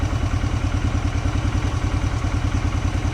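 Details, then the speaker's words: Polaris Hawkeye 4X4, first start after sitting 10 months, held just off idle while warming: light, fairly even knock about three times a second from rattling clutch rollers. "I don't know if you can hear it, that little knocking in there. That is the sound of the clutch."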